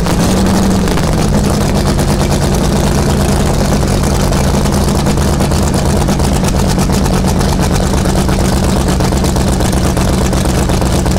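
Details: 1971 Sidewinder jet boat 454 V8 after first cold start before removal, new battery, fresh gas: loud, deep, even big-block rumble holding steady, no knocks or misses; sounds healthy.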